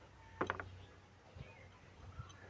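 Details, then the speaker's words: Suzuki Vitara noisy AC compressor, turned by hand: sharp clicks and a catch like a stone snagging. "ayan sumasabit, ayun, narinig nyo parang may sumasabit siya na bato,"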